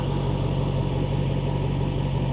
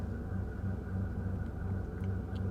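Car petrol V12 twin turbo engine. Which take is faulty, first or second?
second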